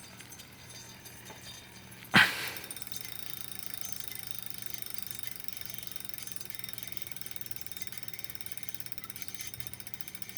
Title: kickr loud grinding noise